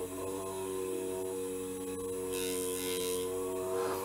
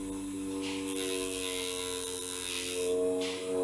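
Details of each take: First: Supplied 6 V DC motor driven from an Arduino, now connected directly to 5 V instead of through the transistor (about 4.4 V): even buzzing whine, spinning faster and smoothly. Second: 6V DC motor switched by an NPN transistor from an Arduino, getting only about 4.4 V; steady, even mid-pitched whirr at modest speed. It runs slower than on a direct 5 V supply because of the transistor's voltage drop.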